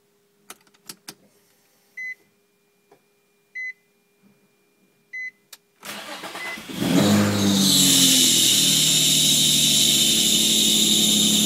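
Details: Three dash chimes, then the engine cranks and catches with a loud, steady high-pitched squeal from slipping belts not fully tightened after a belt change.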